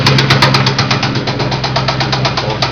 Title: spun bearing.AVI